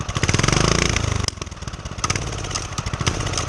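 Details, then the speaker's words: Homemade single-cylinder pit bike with DIY turbo, warmed up, no throttle, muffler and airbox removed: quick putting beat about four a second, slightly uneven but steady, turbo spinning; normal idle. "but once it warms up, like right now, there's no throttle at all. It's just running. And you can see the turbo, it's spinning."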